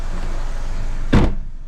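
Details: Alfa Romeo MiTo after clutch and failed dual mass flywheel replacement: steady, even low idle with one soft clunk as first gear engages. The engine runs smoothly with no rattle, and the repair is judged perfect.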